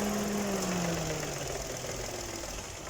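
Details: 2018 Dodge Attitude at idle, after lubricating the rusty AC compressor clutch that squealed on engagement: the compressor kicks in with the pitch easing down smoothly and no squeal; the clutch now engages cleanly.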